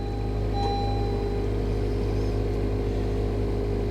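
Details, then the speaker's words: Hail-damaged 2021 Honda Civic Sport at salvage auction, about 3,000 miles, just started on a jump pack; smooth even low hum, no knocks, ticks or misses. Normal idle. "all right here we go she should fire right up for us this time oh oh yeah immediately not an issue"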